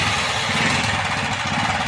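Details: Hero Honda CD100SS motorcycle engine at idle: steady busy rattle over the idling single, caused by a worn timing chain.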